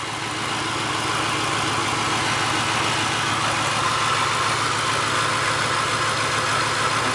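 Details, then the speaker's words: 1999 Mercury Grand Marquis P71 4.6 L, used as an ice cream truck, idling with the engine visibly shaking: an uneven, stumbling beat of about three pulses a second. Misfire that developed in cold weather; cause still being searched. "uh you can see it shaking which that's not how Willie runs at all huh"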